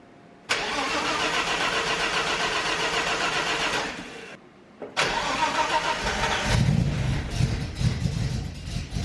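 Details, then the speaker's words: BMW E30 first start after the drivetrain and wiring were reinstalled, engine primed twice. Two quick starter bursts, then it catches cleanly and settles into a steady idle with no knocks. Smoky exhaust, blamed on oil in the exhaust. "Hey, hey, hey. Yes, sir. Let's go. It's smoky. Yeah, well, we got oil in the exhaust, so makes sense."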